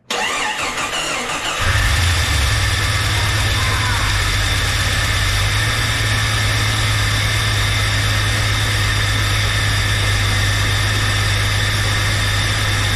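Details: 1999 Jeep Cherokee with a junkyard 4.0L inline-six, first start after the loose starter cable nut was tightened to fix a click-only crank: cranks briefly and catches into a steady, even idle. Slight smoke is believed to be oil burning off the manifolds. Normal start.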